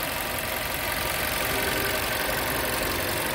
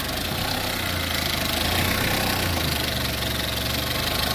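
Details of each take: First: Skoda Octavia 1.4 TSI at 152,000 km after timing chain replacement, held at idle several minutes: steady, even petrol idle with bright top-end whir, no rattle or knock, unlike the serious noise it made on starting before. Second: Skoda Octavia 1.4 TSI, 152,000 km, cold start with loud, fast metallic rattle; owner had timing chain replaced elsewhere for morning chain noise.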